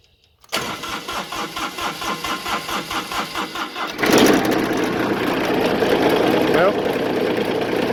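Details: Kubota zero-turn mower that wouldn't start/crank in the field; after reconnecting a disconnected wire the starter cranks evenly about four beats a second, engine catches at four seconds and settles into a steady, healthy run.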